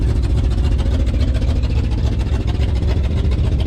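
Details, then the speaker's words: 1994 GMC 3500 454 V8 work truck at idle: deep, loud rumble with a rapid, fairly even chuffing pulse from an exhaust leak at the manifold-to-downpipe donut joint; truck also smoking after burning old bad gas and needs a tune-up. "you can tell she needs something i think that exhaust on it is finally just giving it all up so we need to get that fixed um"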